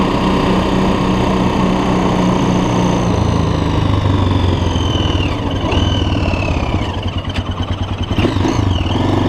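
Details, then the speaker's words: 2006 Honda TRX400EX Sportrax hybrid build, fully assembled after heat cycles, first ride: the single cylinder idles with a steady beat, then picks up cleanly on the throttle with no knocks or rattles. The engine runs good and healthy. "it runs all right so well all right so it ran so what do you guys think pretty cool stuff it actually went for a cruise and uh yeah runs pretty good"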